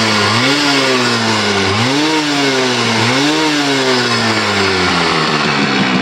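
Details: Yamaha RX100 two-stroke motorcycle, first start after sitting over 10 years in very poor condition: short throttle blips, pitch climbing and falling unevenly, running rough. Wiring issues noted; cause not confirmed.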